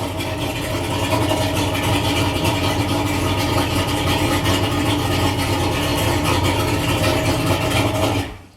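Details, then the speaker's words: Mercury outboard with newly installed Sierra tachometer reading a little above 900 RPM after starting. Runs a fast, even idle, a touch quicker than it should, then shuts off cleanly; owner thinks the idle sounds a little high, cause not confirmed. "But when you turn the key and crank it, there you go, it's a little bit above 900 RPM. And it do sound like the motor's out a little high to"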